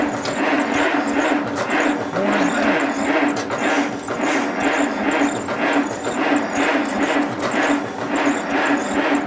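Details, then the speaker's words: 1951 Allis Chalmers WD tractor, not run in at least 10 years, cranking with no start; slow, even cranking with starter whine and no firing, fuel reaching but suspected not getting through the carburetor, manifold leaks noted, carburetor probably needing cleaning. "don't think gas is getting a carburetor though i mean it is but it ain't getting through the carburetor"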